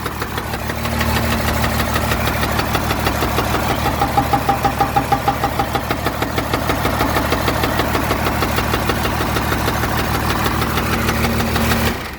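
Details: 1986 Dodge W150 Power Ram, 12-valve Cummins sold as a good runner, first real run after a new lift pump, fresh diesel, priming and 12 V to the shutoff solenoid. Heavy steady knock about three per second, then shutoff: suspected rod knock with blow-by.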